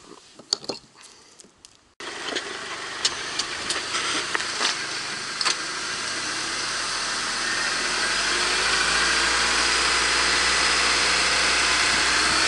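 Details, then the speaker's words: 2002 Honda CR-V RD automatic, left side jacked up, in Drive with throttle applied: rising hiss-like whine climbing with speed, previously heard in 1st and 2nd gear; noise is the driveshaft carrier bearing, not the gearbox. "в общем-то определили до причину шума теория подтвердилась вот все-таки шуметь не коробка он шумит банально подвесной вот и вс"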